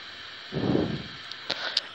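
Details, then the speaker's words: Chinese TV board repaired for colour-dominant picture: picture now good but speaker gives only a steady bright hiss with no programme sound, plus a brief low thump and clicks. "sekarang gambarnya masih bagus tapi suaranya masih desis"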